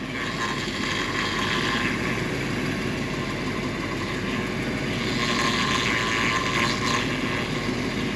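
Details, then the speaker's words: 1975 Mercedes 450SL at idle during a pre-purchase inspection. A rising, groaning whine swells each time the steering wheel is turned and the system is under pressure, coming directly from the power steering pump. "donc quand là quand tu tournes le volant quand le système est sous pression on entend ce ce fameux bruit directement au niveau de de la pompe"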